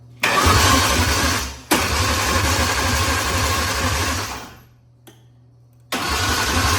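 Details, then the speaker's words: Junkyard Ford Ranger with swapped Taurus 3.0 V6 and five-speed during first start attempts: repeated cranking, then a sharp pop; backfire out the intake, confirming spark. "Where did that backfire from? >> The intake."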